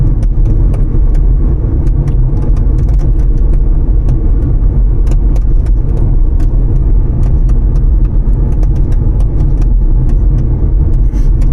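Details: Kia Proceed driving: irregular light clicks and taps over heavy road rumble inside the car, a rattle from the trunk lid.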